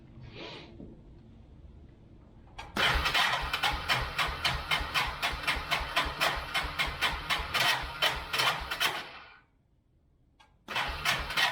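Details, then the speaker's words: 1999 Yamaha Bear Tracker 250 ATV, sat for a while with suspected bad gas, cranking on full choke: long labored bursts with an uneven rattly beat about four per second, no catch; starter sounds unhealthy, tired and rough; starter clutch later inspected. "Starter doesn't sound real healthy. No, it doesn't. It's been sitting for a while. So. Sounds very bad."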